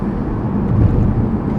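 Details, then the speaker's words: Toyota RAV4 cruising at 40 mph after a transmission swap: steady low road and engine rumble with no shudder, whine or knocking, the earlier vibration noise gone; the old transmission was the cause. "got the new transmission and there's a world of difference in us just like it was crazy like right now driving at 40 miles an hour and it drives and no noise no nothing so that's awesome"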